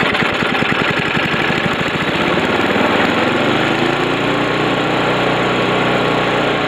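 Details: Snowblower, fitted with a replacement recoil starter and a serviced carburetor, started on choke after priming with the throttle fully open: ragged rapid firing as it catches, then a steady, even small-engine drone at full throttle; running fine.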